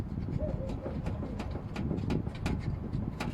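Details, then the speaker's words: Lada Vesta, 75,000 km: sharp dull knocks at irregular intervals as the wheel is rocked; worn inner tie rods in the steering rack, outer tie rod ends fine, rack to be removed and inner rods replaced. "Короче говоря, внутренние рулевые тяги в рулевой рейке вышли из строя."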